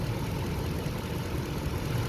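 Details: 2013 Toyota/Lexus LX570 after fixing a crank-no-start caused by a misplaced EFI relay: smooth, low, even idle rumble with no misses, ticks or knocks. Normal idle.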